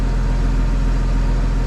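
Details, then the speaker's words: BMW N54, single turbo, after a corrupt MHD flash, E60 fuel, cold start noise reduction on: deep, smooth, even idle with no misses, knocks or surging; no check-control error, rail pressure settled around 6.50; normal idle. "i think we're good no error is coming up in check control [Music] i think we're good single turbo noises"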